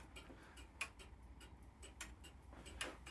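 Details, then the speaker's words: Grandfather clock movement, serviced two years ago, that stops ticking after a minute or two. It is checked level and in beat, with quiet, regular ticks at even spacing and a tick and tock equally distant from pendulum centre. The beat is fine, so the cause lies elsewhere. "Next thing to check that there was an even beat of the clock. In other words, a regular tick and tock, tick and tock equally distant from the centre of the pendulum."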